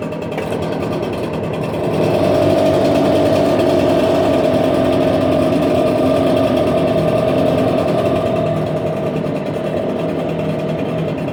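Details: Echo PB770H two-stroke backpack blower, hot restart after hard running and a half-hour rest: fires right up and holds a steady, even buzz with no stumbling or surging; it now restarts hot, which it didn't before.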